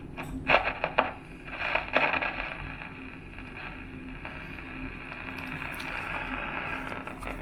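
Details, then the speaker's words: Old childhood radio before cleaning: harsh scratchy crackles then hissy, poorly tuned background; dirty volume/tuner potentiometer causing crackle, to be cleaned with CRC electronic cleaner. "the radio comes on but here's a lot of scratching sounds a very poor reception"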